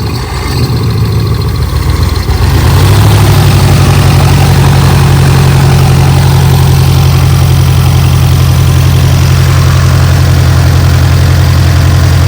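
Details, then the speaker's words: Dodge 360 V8 compressor engine after years sitting: rough labouring note for two seconds, then steady even run once compressor unloads, holding valves open, not pumping air; slight miss noted, otherwise normal. "Okay, it kicked out. It's just running but not pumping air. It holds the valves open."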